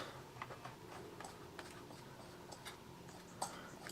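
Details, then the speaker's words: IBM ThinkPad T43 cooling fan at power-on, with fan error: faint, irregular little ticks as the fan tries to turn but never spins up; fan seized, declared dead. "can see it just trying to spin but it's not going to I'm afraid the fan is dead"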